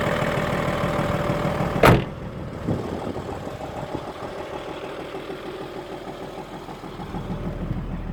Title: audi a6 c5 2.5 tdi engine knocking